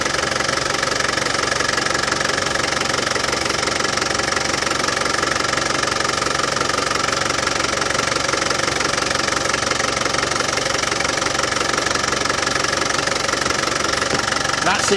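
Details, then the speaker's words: Land Rover Defender 200TDi diesel after power steering pump replacement and bleeding: steady idle clatter with no more rattling from the pump side; the new pump cured the paint-can rattle, normal idle. "well as you can hear no more nasty rattlings from the power steering pump that new power steering pump has cured it"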